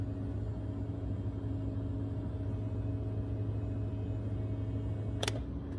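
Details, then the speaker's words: 2003 BMW Z4 convertible top with replacement hydraulic pump and motor; steady unloaded pump hum, then a click, top not moving; emergency release valve was pulled out and stuck, dumping oil pressure. "You can hear the pump running, but it's not hydraulically moving."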